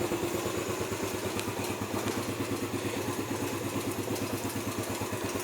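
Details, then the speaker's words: Motorcycle with a newly installed Android Smartkey 3-in-1, idling after a start through the smartkey. Steady, even putter of about three beats a second with no knocking or rattling; the fuel gauge shows 6%. Normal idle. "Indikator tetap menyala dan mesin motor menyala."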